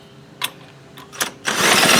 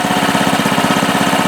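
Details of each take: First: Baja Doodle Bug mini bike with a carb issue, pulled over on a shot of brake cleaner; engine catches into a loud rapid run for about two seconds then dies: it has spark, fault is fuel delivery (carburetor replaced later). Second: Baja Doodle Bug mini bike, 2.8 hp single-cylinder, idling; quick, even putter with a steady beat and no misses or stumbles: normal idle.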